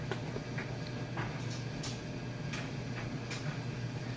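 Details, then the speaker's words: Maytag Bravos electric steam dryer, fully stripped, greased and reassembled, running with a full load; low steady motor hum with soft clothes thumps, no squeal or scrape; very quiet, running healthy. "And aside from those clothes bouncing around, it's very quiet."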